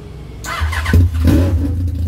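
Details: Yamaha R1 after engine knocking repair: engine catches and revs briefly, pulling cleanly with no knock or rattle underneath; noise gone, bike sounds healthy.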